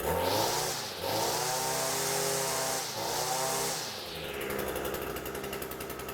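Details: Echo two-stroke string trimmer after cold start, off choke: buzzy revs rise, dip and pick up cleanly with no misses or rattles; normal running.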